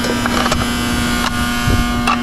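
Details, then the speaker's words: 2022 Guardian air-conditioning unit, about 2 years old, during a refrigerant leak search: a loud, steady electrical buzz with no rhythm over the unit's hum. The condenser contactor is buzzing, and replacement is recommended. "Just want to make sure it gets done, and then recommending replacing the contactor because it's buzzing so freaking loud. It's not impressive for a 2-year-old unit, but hey, it's Guardian, so I can't be that surprised."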